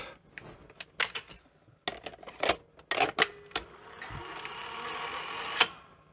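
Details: Sony SL-C7 Betamax VCR (new old stock) after repair: clicks and clunks of the top-loading mechanism, then a smooth steady motor run with no whistle or squeal; rewind now works; normal cassette loading.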